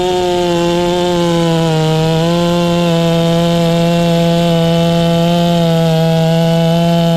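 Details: Ported Farmertec MS660 two-stroke chainsaw, newly tuned with extra muffler port and advanced timing: strong, steady high-revving buzz holding pitch while cutting a hollow-centered log; pulls cleanly, normal cutting under load.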